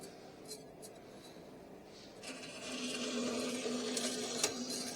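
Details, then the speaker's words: Old horizontal metal bandsaw revived with a salvaged motor and a $7 belt, cutting angle iron: quiet motor hum, then steady low tone with light hiss as blade settles into steel; even healthy cut, auto shutoff at end. "Look at that. It shut it off. And it cut off our piece of angle iron."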